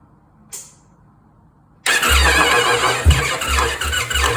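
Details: 2024 Indian Pursuit motorcycle, cold engine and cold oil, cranking during an amp-draw test; brief hesitant catch as the starter hangs up before a rough idle, hard-start condition caused by the torque limiting gear, which was replaced.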